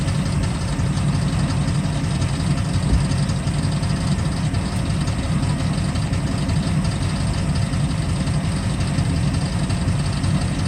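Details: Chevrolet Camaro LT1 V8 at steady low idle with a faint busy rattle riding on top, not changing pitch; engine rattle at idle, cause not pinned down.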